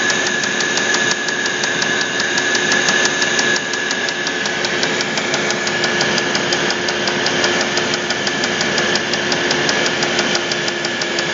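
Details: Audi A8 D3 engine running steadily: sharp, quick tapping over a bright mechanical clatter; the knock was traced to a connecting rod.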